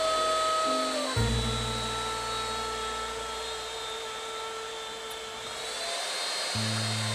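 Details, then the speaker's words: Asus ROG Crosshair VI Hero X370 PC with a Ryzen 7 2700X, sitting in BIOS after reflashing: a steady piercing high whine over a constant fan rush; the cooling fan is spinning flat out. "can hear the really high whine of the fan, so that's all in BIOS."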